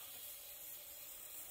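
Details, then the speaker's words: A vintage Italian Suprema moka pot on its first use gives a steady, soft, airy hiss and slight whistle as pressure builds, with a little steam possibly escaping from the pressure hole. Water also seeped from the side until it was tightened. "well it's starting to make a little whistling noise if you can hear that the pressure might be coming up on it could be i think a little steam came out this hole here"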